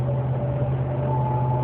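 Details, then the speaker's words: 2009 Dodge RAM 1500 driving at about 35–40 mph, also 53 mph: a loud high whine rising slightly in pitch over engine drone under acceleration, always around the third-to-fourth gear shift, stopping off throttle or after the shift; source unknown. "You just drive it a little bit, it makes the noise real loud. And it's always that third to fourth gear."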